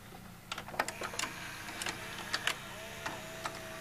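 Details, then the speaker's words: Fisher FVH-4000 VCR loading a tape on play, a sound likened to a Memorex MVR 4046: quiet irregular clicks and short ticks with a faint motor whirr as the cassette threads in. Ordinary loading. "look up memo x MV r 4 0 4 6 VCR and when when you hear the wooden and then when the motor loads the tape it'll make a similar sound listen"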